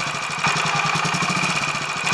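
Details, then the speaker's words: Royal Enfield 500 Machismo electric start, after 20W-50 replacing ATF in starter sprag gear, warming up: even quick thumping at steady idle, no knocks or rattles; normal idle, much improved. "but hopefully it'll be possible to compare this footage with what I got in uh the previous video footage and it should be able to te possible to tell but it's actually sounding a lot better"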